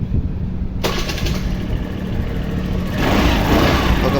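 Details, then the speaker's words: TVS BS6 scooter after injector replacement (old injector damaged, linked to the battery) with the coupler cleaned and tightened: starter whirr, engine catches at about 0.8 s and settles into a steady, even idle; clean normal start. "Start ആയിട്ടുണ്ട് okay friends അപ്പൊ ഇത് ശരിയായിട്ടുണ്ട് നമ്മൾ injector മാറ്റിയതാണ്"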